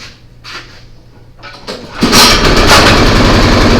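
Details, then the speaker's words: Craftsman snowblower single-cylinder engine after a repair for a noise when the augers were engaged. It fires up after a few pulls and settles into a steady, even beat with no grinding or clatter. "I mean, we'll fire it up, make sure it's going to run and everything. I think we're going to find the noise is gone."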